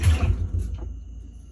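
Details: Whirlpool-made washer, drum spun by hand for comparison with the loud unit: one push gives a soft low rumble that fades quietly, with no grinding or knocking; drum and transmission sound normal.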